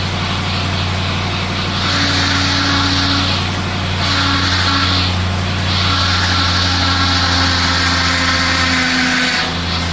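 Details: 2004 Mustang Cobra V8 just revived after CCRM fix: thin whine coming and going as the steering wheel is turned back and forth to burp air from the power steering system.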